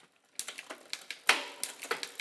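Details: Bicycle rear derailleur after high limit screw adjusted (backed off until quiet in second cog), shifting tested roughly: crisp separate clicks as chain moves across cogs, no lingering rattle or grinding; normal shifting.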